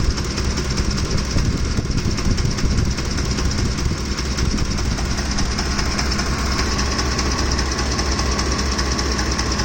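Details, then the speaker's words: Ford F-150 with 3V Triton V8, hot engine at rough idle: rapid even ticking clatter from the top end, constant throughout; left-side camshaft or timing chain suspected, not confirmed. "I have to think something's wrong with the camshaft on the left side here. Is it even the cam? Is it the chain?"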